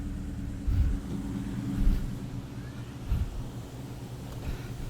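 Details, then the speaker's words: 2003 Mustang with a built 5.0 V8, idling with the leaking PCV inlet temporarily plugged with a zip tie and electrical tape: a low idle rumble, fairly even with slight lumpiness, no hiss or surging. It runs far more stable, though other issues remain. "it's actually running good. With the PCV inlet plugged up using a zip tie and electrical tape, the car was running way more stable."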